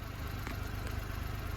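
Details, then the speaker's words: 1999 Suzuki Every DB52V, F6A engine, running on a relay bypass after sudden no-start: low even idle rumble, steady beat, no misses, knocks or surging; check engine light on, proper fix unknown. "anyway the car is running very smooth after my bypass is that okay for a proper fix"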